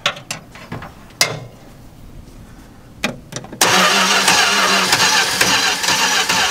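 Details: 1964 car with a freshly installed 318 poly-head V8, cranking but not starting: a few short puffs after spraying starting fluid, then sustained fast cranking that never runs.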